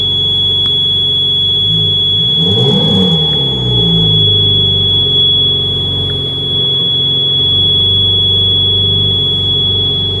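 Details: 2013 Ferrari 458 Spider: steady high-pitched electrical buzz from the center console near the roof-opening switch, persisting over the idling engine; no dashboard lights or warnings, cause unknown.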